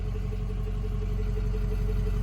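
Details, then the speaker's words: 2005 Ford F-450 dump truck, 6.0 Power Stroke diesel, warm after road test following fuel pump repair: steady even diesel clatter with a smooth low rumble, no misses or knocks, good oil pressure, not overheating; normal idle. "I think we got it guys everything's coming back on it's not overheating got good oil pressure"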